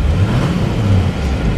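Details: 2004 Chevy C5500 rollback flatbed, 6.6L Duramax diesel, 195,605 miles, recorded from inside the cab: steady low diesel rumble, even and unbroken, no knocks or misses, no warning lights; engine running fine.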